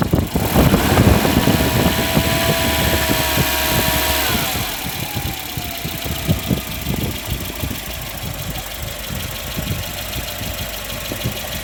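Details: 1995 Volvo 940 after water pump repair, original thermal-clutch fan refitted and coolant refilled, test run: engine settles from a higher fan-whirring speed into a steady ticking idle with even rhythm; normal idle.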